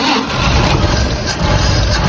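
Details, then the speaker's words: 1954 Chevrolet 3100 truck, original 235 straight six, parked since 1978, converted to 12V, first run: smooth low rumble with no knock or tapping, oil pressure present, engine tight; smoke then seen from tailpipe; normal running. "you got oil pressure Eng noise no knock thing is tight as can be"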